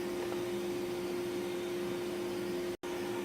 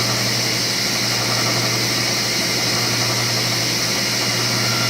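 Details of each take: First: King cabinet table saw after motor bearing replacement, table alignment and maintenance: spins freely with steady clean hum, no grinding or rumble; healthy bearings. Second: King Cabinet table saw after bearing repairs and table alignment, ripping a 2x4: hum then harsh hissing rasp as the wood rubs the blade teeth at the back of the cut because the rip fence is set too close at one end.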